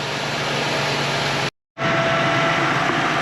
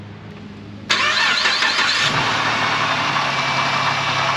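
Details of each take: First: Ford Transit 350 3.7L V6 after new water pump, serpentine belt and tensioner, idling with coolant reservoir cap off to bleed: steady even idle, smooth belt hum, no squeal, chirp or knock; normal. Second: Ford Transit 350 3.7L V6 van, about 124,000 miles, at rough idle with a constant low grumbling from the belt drive. The water pump is suspected, with hope it's not the alternator bearing. This is before replacing the water pump, tensioner and serpentine belt.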